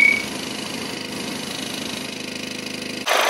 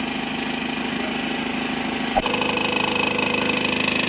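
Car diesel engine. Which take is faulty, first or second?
second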